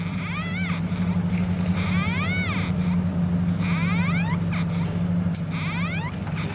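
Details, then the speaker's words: Royal Enfield Interceptor 650 front-end noise, not from the caliper; repeating chirpy squeaks rising and falling about every second or two as the wheel turns, from the dry speedometer drive/speed sensor, which needs grease. "हैं तो यह आवाज इसके जो speed driver जो speed sensor है उसके अंदर से आवाज आ रही है"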